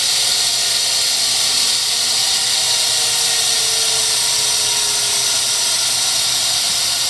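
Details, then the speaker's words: 1963 Heald 273-A 5 HP universal internal grinder, wheelhead spindle running: steady, piercing high whine with constant hiss, no rumble or grinding; motor and head bearings and belt in good shape. "What you're hearing here is just the motor. It's just the motor, just in general. Bearings are in good shape in the motor and in the head."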